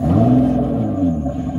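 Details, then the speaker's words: 2006 Honda Pilot J35 V6 after cleaning the fuel pump and clogged fuel filter: pump heard priming, then deep even rumble holding steady with slight rev, no stumble; idle steadier, throttle response quicker. "i can hear the pump priming back there it's a good sign the aisle seems steadier"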